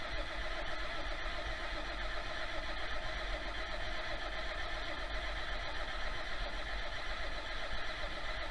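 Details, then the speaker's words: 1966 John Deere 4020 diesel tractor after an injection pump install, injection lines cracked loose: a steady low starter drone as the engine turns but doesn't catch while air is bled from the lines, until fuel starts spitting out. "I just got to uh bleed the fuel lines out I got them cracked loose I'm just going to crank it over hopefully I got enough battery to crank it over and uh try to get that blood out and then maybe we can start it"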